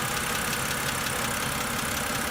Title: 08 e90 N52 lifter tick